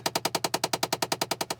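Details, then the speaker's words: Chevy Impala (2006-2013): rapid, evenly spaced sharp clicks from behind the dash, about nine a second, from a failing heater/AC blend door actuator. "Okay. Alright, so what the problem is your door lock, actuator, air conditioner, heat blend."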